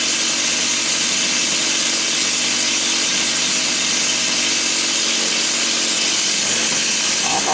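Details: Stihl 028AV Super (Wood Boss) chainsaw, said to have low compression, test run: high, raspy two-stroke buzz holds steady with no stumbling or surging. Carb was slightly out of tune (high speed a little rich, low speed a little lean). Runs clean and healthy.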